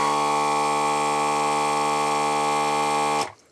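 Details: ZD-915 desoldering station vacuum pump after repair, supply measured at about 12.5 V (12 V nominal), super stable: steady even single-pitch buzzing hum for three seconds, clean cutoff; normal pump running.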